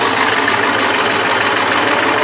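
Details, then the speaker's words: 1995 Dodge Dakota club cab with a professionally built 390 stroker and Hughes Engine aluminum roller rockers, just started after double fuel-pump prime: smooth, even idle exhaust note, no ticking or knocking; normal healthy idle. "So I don't know how the sound is on this, what you can hear, but that's the idle exhaust note. There's the motor running."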